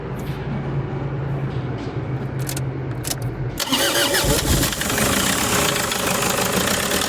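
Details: Toyota HiAce diesel van: engine cranks and catches, then idles with rough, uneven knocking clatter and vibration.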